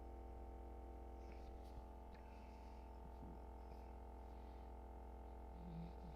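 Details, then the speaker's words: Klipsch SUB-12 subwoofer amplifier on repair bench, 100 Hz sine test: low tone with buzzy, rough distortion over faint room hum, waveform tilted and not clean; distortion traced to a failed resistor. "the sine wave is like tilted a little bit it's not like pure and clean and it doesn't sound right it sounds like it's got a little bit of like distortion to it somehow"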